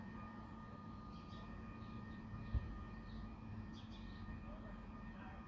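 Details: Low-frequency industrial hum recorded at night (between 2am and 5am) from within the resident's own property boundary: faint steady low hum with thin higher tone, persistent nuisance loud enough to wake, attributed by the resident to a nearby plant; cause not confirmed.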